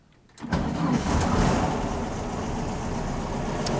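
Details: Car with new batteries just fitted: brief, brisk cranking, then the engine catches at once and settles into a steady, even idle. Strong, healthy start.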